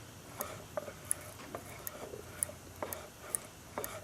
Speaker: you hear that click it's it's top toad Center or a little before or after depends on where you want to set it